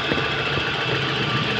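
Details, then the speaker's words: 1993 Toyota Corolla big body after replacing a knocking manual transmission with a newly installed one: steady, even engine run, no knocking or rhythmic clatter; transmission healthy and shifting fine. "Wala na ako kahit mahina yan ha. Ha? Kahit mahina na tunog. Oo. Oh, tahimik na."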